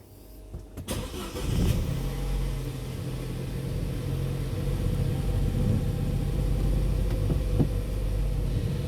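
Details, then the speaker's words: 2011 Holden Cruze 1.4 turbo with a rough-running cold engine: hesitant rough crank catches into an uneven idle with occasional stumbles and missed beats; nearly 15 inches of vacuum at idle, misfires from a stuck-open purge valve. "Definitely a few misfires, but as you can see, we've got nearly 15 inches of vacuum at idle. So that purge valve's definitely no good."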